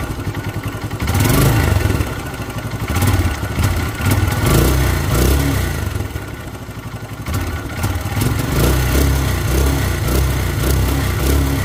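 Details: Hero Karizma R motorcycle engine, revving and idling with a rough, rattly mechanical clatter riding over the exhaust beat, as if something is loose; cause not identified.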